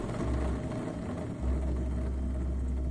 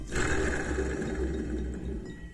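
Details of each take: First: Skid steer idler wheel bearing spun by hand during a restoration gives a smooth, even whir with no grinding or roughness, so it sounds healthy. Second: on its way out so change it now instead of halfway through winter when you wish you were sled and then instead you're pulling out a skid again to change bearings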